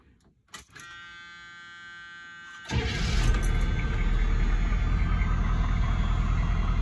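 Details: 1986 Chevy K5 Blazer M1009 with rebuilt starter, new alternator, batteries and cables, upgraded fuel filter and radiator: after a quiet pause the starter catches quickly and the engine settles into a steady, even rumble, a clean, healthy cold start.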